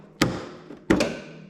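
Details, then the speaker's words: Toro TimeCutter zero-turn mower with an electric PTO, under repair after falling off a trailer upside down, deck engaged to test it: a sharp, solid bang as the clutch pulls in, then a hard clunk and a steady hum. This is a strong, healthy clutch; a tiny click would mean low voltage or a weak clutch. "you can hear that that click you can kind of Judge how good your clutches by how hard you hear that bang if you just hear a tiny little click it's either low voltage or that clutch is getting weak"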